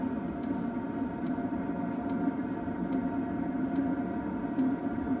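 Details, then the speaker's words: Planar portable 2 kW diesel heater running full bore in freezing conditions while truck camping, with the fuel pump kicking more often and the outlet pipe heating: smooth, steady airy roar with a regular faint pump tick; normal full-output running. "The fuel pump's definitely started kicking a little bit more. She's full bore now."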